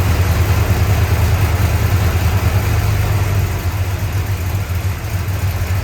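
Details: 1965 Chrysler 300 383 V8 after 17 years sitting in California desert, just revived: deep, slightly uneven lumpy idle with wavering loudness; smoke from leaked oil burning off, holed radiator; owner suspects timing slightly off.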